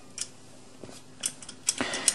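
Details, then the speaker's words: Sherif-2 electromechanical cabinet lock: a few sharp bright clicks and a final snap as the bolt is inserted and the lock shoots closed; normal latching, opening needs voltage applied. "Как только мы туда ставим ригель, у нас оковка это выстреливает. И все, в принципе, замок уже закрылся."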